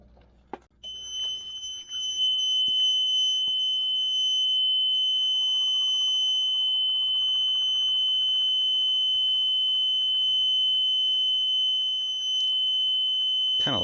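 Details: Newly installed truck APU, first start attempt, fuel pump on a replacement toggle switch, fuel heard returning to tank; shrill, steady high-pitched buzzer holding over twelve seconds: warning alarm of unknown cause.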